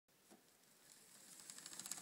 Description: Clicking noise coming from chain rubbing on derail